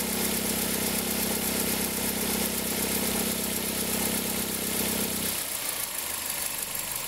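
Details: 2003 Toyota Corolla, cold engine: a low droning hum at the accessory belt tensioner cuts out abruptly near the end. It appears in reverse with the brake held and a small throttle blip, and occurs only cold. Worn belt tensioner bearing.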